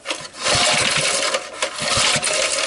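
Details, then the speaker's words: 1989-coded 3 hp Briggs and Stratton engine on an early-1970s ARCO Model 3600 mini bike, oil just topped up: slow recoil pull gives a steady rasp with firm, even puffs as the piston comes up; compression sounds healthy. "sounds like it's got compression and everything else it needs."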